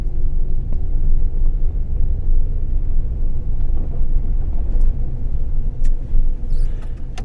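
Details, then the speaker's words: 2009 Ford Ranger with a manual transmission, after the hard-shifting fix, driving on snowy roads. Steady engine rumble under road noise while changing up through first to fourth, with no grinding or clunk. Normal, clean gear shifts. "now back to First that worked [Music] nicely second gear very good third that's nice shift and fourth gear"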